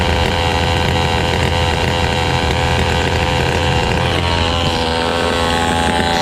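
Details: Fubag FPT 52 trimmer that would not start and flooded through its carburetor, now running with the carburetor refitted: an even, unbroken high-speed two-stroke buzz with no misfire or stumble; normal running.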